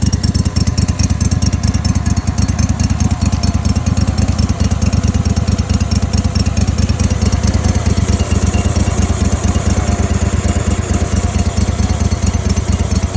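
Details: Kohler 25hp engine after soaking carb in Sea Foam and carb cleaner: fast, uneven chuffing about two pulses a second over a deep lumpy drone, barely catching at half idle; heavy smoke and oil from exhaust earlier, cause unknown.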